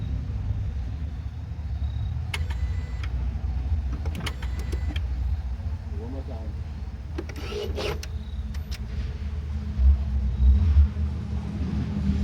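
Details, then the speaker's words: 2014 Ford Focus after replacing both clutch actuators, done for a check-engine light about friction element B: at key-on, short, soft whirring bursts over a low rumble, smooth and even. Normal clutch actuator self-check. "notice the difference and I think it sounds a lot smoother so hopefully this fix our issue completely and it would be nice cheap easy fix"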